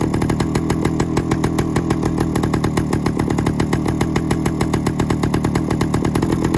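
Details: 1972 Suzuki TS185 two-stroke, first run in 30 years with spark and compression confirmed: rough, uneven, loud raspy running with sharp spitting puffs each firing stroke; more exhaust escaping from a leak than out the back.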